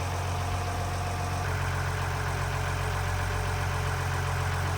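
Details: Ford Lehman 120 marine diesel idling after an offshore replacement of the failed fuel lift pump and air purge: steady, deep rumble at an even idle, no misses, hunting or knocks; healthy idle.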